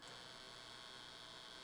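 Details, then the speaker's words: ZK-PW500 500W DC boost converter at 19.2–24 V input stepping up to 36–48 V: constant harsh electrical buzz, very loud at 6–8 A output, struggling and dropping voltage under heavy load; thermal image shows 65°C. "bardzo brzęczy 6 amperów, brzęczy dużo 8 amperów, osiem nie działało ponieważ wynosi 44"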